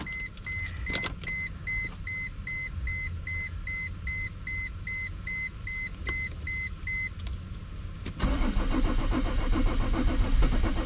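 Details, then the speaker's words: Mercedes W210 E300 turbo diesel that arrived by tow truck; warning chime then fast, even cranking that never catches, strong raw diesel smell, no trouble codes stored; fuel pressure or glow plugs suspected, unconfirmed. "I think we have a fuel pressure problem yeah it's not so I wish I wish we were seeing some trouble codes but we're not seeing any trouble codes it also could be glow plugs"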